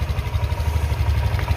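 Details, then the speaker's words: Old-model 2018 Honda Vario 150 scooter at idle after replacing its weak, never-changed original spark plug, which caused misfiring and poor acceleration: even, quick, low thrumming with no stumbles; stable idle, also fine under sudden throttle. "Oke kita starter nah ini terdengar suaranya itu stabil ya tidak berebut seperti tadi"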